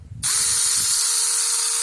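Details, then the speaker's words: 2001 Chevy Venture windshield washer pump motor, freed up after sticking and bench-tested on 12 V: motor snaps up to speed, then holds a steady high-pitched whine and buzz; pump works normally. "And now, as you can hear it, it's spinning now. So it should be okay."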